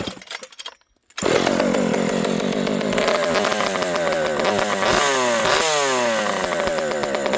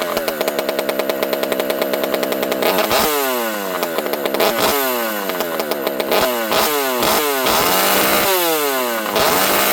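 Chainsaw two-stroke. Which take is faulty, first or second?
first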